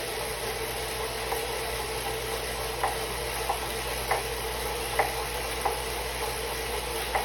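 Soft steady whir with a distinct dull knock repeating roughly every two-thirds of a second; the trainer is knocking, cause unknown.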